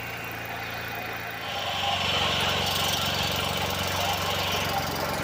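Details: Generator running on 100% wood-chip gasifier gas while charging a battery bank (~54 V, 20 A): steady speed with a regular light clacking about four a second, suspected sticky valve, possibly from hay sucked through a breached filter screen; unconfirmed.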